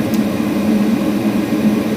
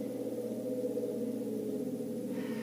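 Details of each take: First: Gas furnace draft inducer motor after replacing the old motor with its bad howling bearing; smooth steady hum with burner roar, no rattle or bearing growl; much quieter than before, gas burner now louder than the inducer, running normally. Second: Gas furnace draft inducer motor, system off, spun by hand: a ringing, howling drone that hangs on as it coasts; worn inducer motor bearing, the source of the loud furnace howl, before motor replacement.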